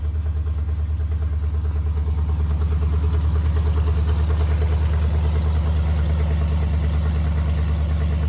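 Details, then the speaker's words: Cold idle of lifted 2007-13 Silverado V8, BTR Truck Norris cam, DOD delete, 1-3/4 long-tube open headers, not yet tuned: deep, steady, very loud choppy lope about three pulses a second; running fine. "It's open header, so it's extremely loud. You can't really hear what it sounds like good, but once we get it tuned and get the exhaust on it, I'll get back with y'all."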